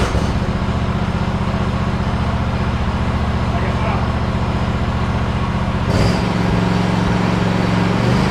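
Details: Hustler Raptor SD 54-inch zero-turn mower with a Kohler 7000 series 25 hp twin at 100 hours, cold start after sitting a couple of days: steady even putter with a smooth throttle step-up, no misses or knocks, a healthy idle.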